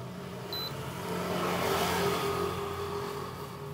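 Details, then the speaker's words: TIXX JD-800R air cooler after water pump repair: short high beep at switch-on, then a steady, even fan whir with no rattle or scrape. Cooling mode then switched on. Fan operating normally. "Umandar na yung electric fan. Yan. Ngayon magcooling tayo."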